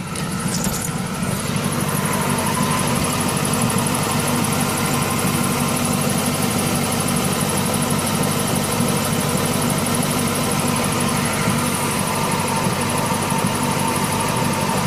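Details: 1999 Ford Mustang GT V8 at idle, quieter from under the hood than alongside the car: light tapping about three per second with a faint squeal, following RPM; owner suspected a lifter, cause unconfirmed.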